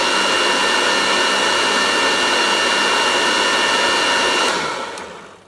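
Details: Restored Goblin Electra vacuum cleaner, fitted with a Kirby belt, switched to low: steady, even high-pitched motor roar with no rattle or surging, winding down smoothly at switch-off; normal running.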